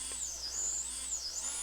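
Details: EMAX Nanohawk 1S ultralight brushless micro quad on arming after binding: thin high whine from tiny motors swelling and dipping in pitch, smooth and even; motors running normally.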